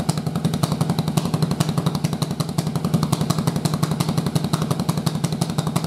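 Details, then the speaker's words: Yamaha Virago V-twin with single-carb intake manifold, ignition timing of cylinders swapped: loud, choppy beat about three pulses a second with unevenness between strokes; front-cylinder-lean air-fuel imbalance tested as caused by uneven cylinder firing. "That's going to tell us that every bit of this issue about this unequal air fuel ratio is related to how the cylinder fires."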